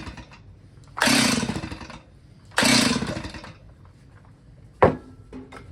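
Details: Old Stihl chainsaw that had sat 10 years, freshly fueled with 50:1 mix: two hard rope pulls, each a fading whirr, then a short tug, and the saw never catches. It cranks without firing; the carburetor is to be checked next.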